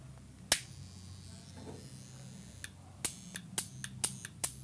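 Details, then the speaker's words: Profitec Pro 700 dual-boiler espresso machine (cutaway): solenoid valve switching with sharp dry clicks and a faint low electrical buzz, normal operation expected at certain times. "Yeah. Hear the click and the little buzzing there a little bit."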